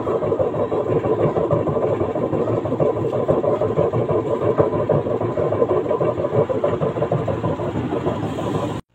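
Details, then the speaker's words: LG 15kg washing machine with a loose, wobbly drum, before repair: loud, rough, churning rumble through the spin. Worn drum bearing suspected; on teardown the bearing was destroyed and the spider bracket broken. "Nih, suaranya seperti ini ya. Nanti kita bongkar, kita ganti bearing."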